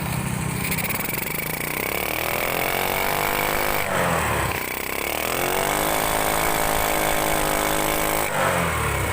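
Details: Grand motorcycle, engine running, throttle blipped repeatedly: pitch rises and falls raggedly, struggling, with the carburetor spitting back instead of drawing in; cause found to be the exhaust (knalpot).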